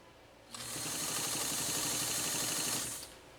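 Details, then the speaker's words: Pfaff 230 sewing machine stitching a single layer of fabric: a smooth, even, quick whir that starts and stops cleanly with no clatter; it runs healthy. "doesn't that run so smooth isn't that that's just wow fantastic super"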